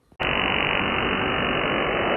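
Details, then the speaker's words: HF amateur bands received in the Canadian Maritimes: a steady, harsh buzzing rasp fills the band from start to stop. These are over-the-horizon radar pulses swamping the receiver, not a fault in the set. "Well, if you don't, it is uh called over the horizon radar. So, it is a radar system normally used by countries like Russia, oh let's see, Russia, China, Iran, but other countries have been known to use it, too, like Australia and Turkey and others uh at times to detect objects like ships at sea"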